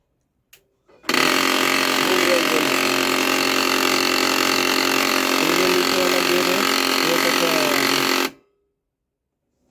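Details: Canon LBP 2900 laser printer with side gear panel opened: about seven seconds of steady motor whine under a harsh, fast gritty rattle around three per second; damaged clutch gear grinding and jamming in the drive, fixed by replacing the clutch gear.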